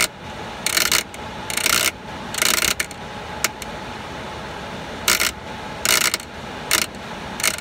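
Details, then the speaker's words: Blower running at about 1.6 A after a blown fuse: steady hum broken by irregular loose metallic rattling about once a second in the blower compartment; a loose unconnected wire found, tip not chewed, cause of the noise uncertain. "this wire I didn't notice it earlier but this wire is not connected to anything and the tip of it is not chewed up where that would have been bounced into the blower cavity or blower wheel but I'm not [Music] sure why I would get that awful noise"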